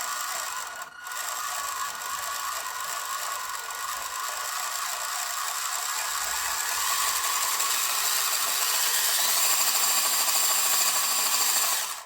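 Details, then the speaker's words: WPL B-1 1/16 RC military truck rock crawler after replacing transmission drive shafts, likely non-standard motor: high steady motor whine with light ticking about three times a second; ground-down grub screw brushing the motor. "i had to grind the little grub screw down so it didn't stick out too far and it still just brushes against the motor as the motor spins you'll hear it clicking a bit"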